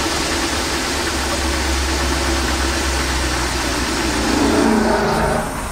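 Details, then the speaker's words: Old Dodge van after new spark plugs, with an arced coil wire found rubbing the kickdown linkage: uneven idle with an occasional stumble; owner suspects the coil wire or a bad batch of gas, unconfirmed. "Yeah, it doesn't idle quite right, and it's got a bit of a stumble, so either that or it could also be a bad batch of gas, I'm thinking, but it's just got a stumble, so something that we'll have to look at."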